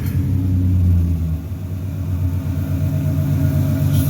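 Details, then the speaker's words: Turbocharged Xterra-engined dune buggy with T3/T4 turbo, after a new injector was fitted: low even rumble with steady beat, no stumbles or misses; smooth idle on all cylinders, slight harmonics possibly from a stripper cap. "just so smooth I did get that new injector put in that I was waiting from Rock Auto and it made a world of a [Music] difference this a smooth idle"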